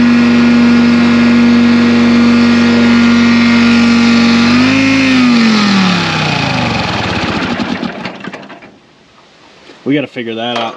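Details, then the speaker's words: 1960 John Deere 440 backhoe, supercharged two-stroke Detroit 2-53 diesel, freed after years locked: steady high drone with clear supercharger whine, brief rev, winds down; oil pressure nearly 60 psi, healthy run. "this thing sounds awesome you hear the supercharger this thing's flipping cool"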